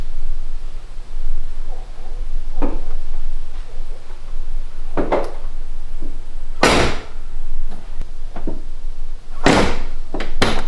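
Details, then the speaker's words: BMW E46 convertible door after cleaning and greasing the dried seals with Honda seal grease: door opened and shut several times with solid thumps and only a faint, brief residual squeak. "And here's the final result. There's a little bit of a squeak."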